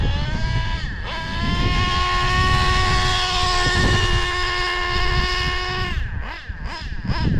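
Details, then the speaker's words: O.S. 21 TM nitro engine from a used Traxxas Revo, long stored, carburetor cleaned: buzzy tone at steady revs with mushy smoky edge; really rich, high-speed needle leaned 6 hours, still rich, then another 3 hours. "TSM it's real rich [Music] [Applause] I think I leaned a high speed about 6 hours screwed in the high speed of 6 hours [Music] still really rich"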